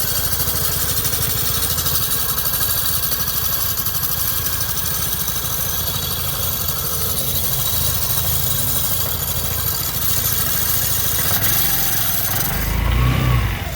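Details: 2008 Vespa 250 GTS i.e. at idle with a grinding sound: a rough, gritty grind under a steady beat of about four per second, cause unclear.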